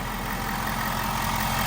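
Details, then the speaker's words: 2023 Ford F350 6.7 Powerstroke diesel just started after fuel filter change: steady even diesel clatter at idle, no misses or surges; normal idle. "Let's go ahead and start the truck. Starts up every time."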